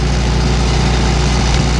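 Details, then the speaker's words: Old hand-clutch tractor at a faster throttle setting, where it runs smoother: a heavy, low, steady rumble with no knocking that shakes the whole tractor. Runs like a dream. "listen to that whole tractor shakes at this speed look at that battery dancing oh this thing runs like a dream"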